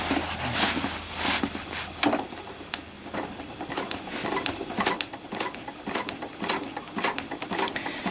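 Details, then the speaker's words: Sewing machine stitching trapunto after couching with fluffy wools: uneven bursts with sharp clicking and thin squeak; sounds dry, owner suspects it needs oiling. "You can probably hear it. I probably need to oil my machine, especially after doing the previous tutorial in couching with all the fluffy wools and that."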